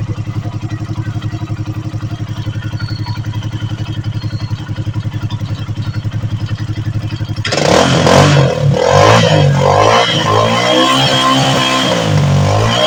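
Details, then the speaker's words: Bajaj Maxima Z three-wheeler single, repaired after lost compression and overheating (stuck valve, worn valve guide), reassembled; even, quiet idle thump, then a few throttle blips revving cleanly with no tapping or knocking; normal idle after repair. "Umaandar na yung unit ni customer, no? So, goods na goods yung kanyang andar, no? So, tahimik na tahimik."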